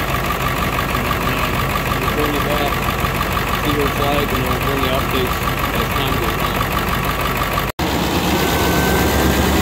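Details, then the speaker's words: 2001 Ford F450 7.3 Powerstroke diesel on warm day, after Hot Shot's Secret additive: uneven shaky idle clatter about three beats a second from one lazy injector slow to come alive; smoothed out after about half an hour. "you see how it's shaking now foreign anymore but I really don't want to put a set of injectors in this"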